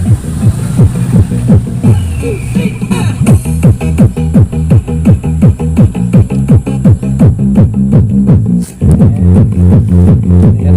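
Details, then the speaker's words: UKC AV-326BT amplifier playing music on a phone input: the right channel gives heavy, muddy, crushed bass with almost no clean treble, while the left channel is fine; right channel distorted. "Yan ang sira ng ang right channel na."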